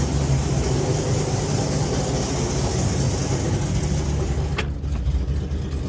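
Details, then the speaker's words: LS V8-swapped Hyundai Genesis Coupe idling, heard in the cabin with the windows open: a loud, uneven rumble with a raw, puffing note from an exhaust leak right below the shifter. "You guys can hear that exhaust leak now. It's like right below the shifter here."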